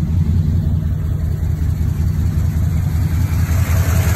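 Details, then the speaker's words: 1998 Chevrolet K1500 idling after AC compressor fix (compressor previously only ran when wired direct), AC switched off: steady even low rumble, no clutch cycling or clicking; compressor disengaged, engine idling smoothly. "see the compressor is not running now"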